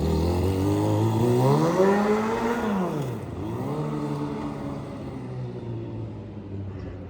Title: Need new silencer 🫢| Loud noise causes trouble for neighbors 😶‍🌫️